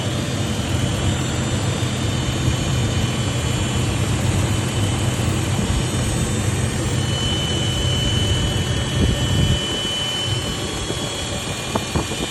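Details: Toyota Land Cruiser 80 series while driving: a thin steady high whine over heavy low road rumble; source of the whine unknown.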